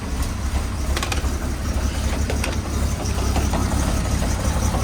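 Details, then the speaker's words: 1969 Chevrolet C10 inline-six, first start after about nine months sitting, fuel lines empty, struggling. Loose irregular metallic bangs ride over a rumbling idle: the exhaust is knocking against the body. "We got some major knocking or something going on. Something is not right. Oh, it's the exhaust."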